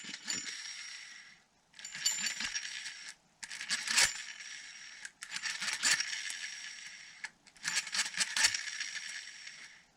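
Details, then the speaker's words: Antique Atlas reel after servicing and lubrication: even bursts of fine metallic clicking with each turn of the handle, free and unbinding, loosening up; cranks smoothly. "well it's working good I think it's getting looser"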